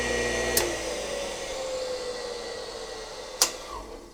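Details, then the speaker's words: Roughly 40-year-old Campbell Hausfeld 20-gallon air compressor motor, belt off, no load: falling hum as it winds down, then a sharp click as the centrifugal switch re-engages with a braking effect; normal behaviour. "and there's a centrifugal switch kicking back in I wonder why that has a braking effect oh you know why maybe because a motor that's running acts as a generator and it back feeds that capacitor"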